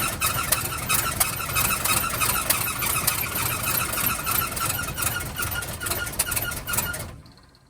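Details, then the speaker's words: 1971 Cadillac Coupe DeVille that sat 15 years in a backyard, first start on starter fluid with fresh 91-octane fuel (white sediment in tank): catches, runs rough with squeaky irregular firing, then dies; owner suspects it's not getting fuel. "so as you guys saw the car pretty much started and wanted to idle it feels like it's not getting fuel"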